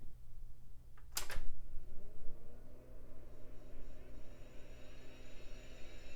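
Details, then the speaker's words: AST Advantage Adventure 466 486 desktop on first power-up after restoration: a click, then a smooth whine climbing in pitch and settling as the platters reach speed; healthy hard drive spin-up. "hard drive sounds happy"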